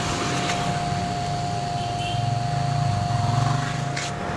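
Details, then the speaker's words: Shimizu 300 W water pump run from a 150 W 12V-to-220V modified sine wave inverter at about 120–150 W draw, mic held close: steady buzzing hum with sharp tone; pure sine inverter needed. "dan bunyinya itu mendengung ya Mas guys saya dekatkan mic saya dulu bunyinya seperti ini ya karena belum PSB karena masih msb"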